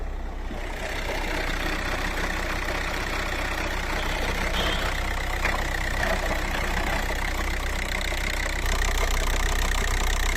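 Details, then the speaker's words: Idling VW TDI with DSG dual-clutch automatic gives a loud, loose marbly rattle over a deep drone, with vibration throughout the vehicle, that can ease when revving; failed dual mass flywheel. "the symptoms of a failure of this part is at idle it's gonna rattle it's gonna rattle quite a bit it's gonna have vibrations throughout the vehicle as well especially if it's as bad as what i've shown there"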